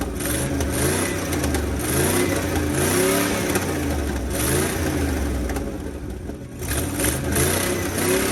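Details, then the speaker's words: Abandoned 1980 International Scout II, engine previously seized, now running after diesel soak; catches and revs through several throttle blips, rough but clean with no knocks; still burning off crud, needs carburetor. "This one seems like it wants to run real well, actually, in my opinion."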